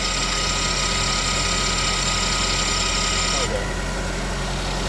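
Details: GMC engine after a head gasket redo, idling with the high-pressure fuel pump unplugged: fast, uneven ticking with a thin high whine; a fuel pressure code had returned.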